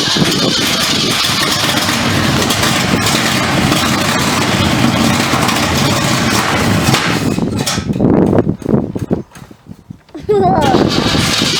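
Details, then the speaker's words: 1976 Pontiac Trans Am during rebuild: rough loud idle with irregular pops and raspy exhaust; owner suspects a faulty distributor causing the misfire, and the header was hit while loading onto the ramp, making it noisy. "needs a distributor for sure because fire distributor cap chances are that's why it's not it's popping and farting and complaining"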